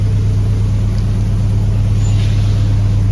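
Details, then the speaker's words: Jeep Grand Wagoneer with Hemi V8 swap after replacing IAT, MAP, EGR valve and coolant temp sensor and further troubleshooting; fires faster without stumbling, deep steady burble, some exhaust leaks audible: smooth normal idle. "I mean, this motor is smooth as silk."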